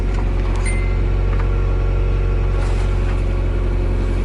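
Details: Nissan S13 240SX drift car idling in neutral after unneeded wiring was stripped from the harness: steady, even low rumble without misses, knocks or ticks; the engine runs normally.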